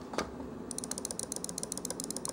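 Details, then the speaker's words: Stock, unmodified Logitech G502 Proteus Spectrum mouse compared with a silent-switch modded one: sharp, crisp, evenly spaced loud clicks about eight a second, the normal stock microswitch sound. "I mean just off the bat you can hear there's a distinct difference between the two mouses"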